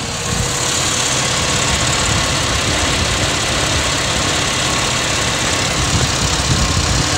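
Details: Pontiac Aztek with an overheating complaint and fans not turning on, low-speed cooling fan commanded on with a scanner at idle: steady, even rush of air, no ticking or scraping; the low-speed fan works normally.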